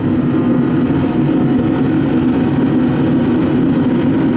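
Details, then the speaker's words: Repaired ProCom Magnum 110VT turbo heater on lowest of five settings, after replacing a small torn seal: steady even low roar of fan and burner, no surging or puffing, steady flame; pump pressure about 6.9. "that's on the lowest setting one now if I go higher it's got five settings it'll speed"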